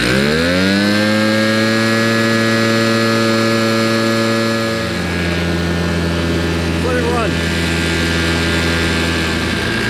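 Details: Old RedMax two-stroke leaf blower after carburetor cleaning, tank cleaning and new fuel lines, run outside: buzz climbs to a smooth steady high tone, then settles lower and holds evenly; running cleanly.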